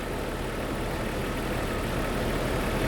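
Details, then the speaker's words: Jeep with a misfire for about a month, worse at startup, checked at idle with an ignition scope; rough, uneven idle with an irregular stumble about four times a second. Ignition misfire. "Don't like that pattern all that much. Let's trigger that. There's your misfire. Pretty cool, we see it right away."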